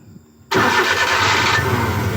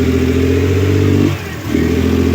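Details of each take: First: Suzuki F6A EFI engine with a hard-start and low-power complaint, tested after the original unit was refitted: quiet, then it catches on one click and settles into a steady, even idle with no check-engine light; normal start. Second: Suzuki F6A electronic fuel injection engine with hard starting and low power: revs steadily, then sags and nearly dies when the throttle is opened before picking up again, hesitation on acceleration.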